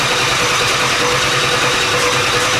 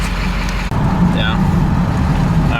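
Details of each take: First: Ford F250 7.3 Powerstroke diesel, straight pipes, first test drive after high-pressure oil work and new parts: loud uneven clatter, lumpy stumbling beat, one cylinder sounds like it's missing; air bleeding didn't help; misfire from injector harness plugged in wrong. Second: Ford F250 7.3 Powerstroke diesel, after fixing misplugged injector harness, on 100 hp performance tune, not yet driven on it: low, even rumble, no stumbles or skipped beats; running smooth on all cylinders.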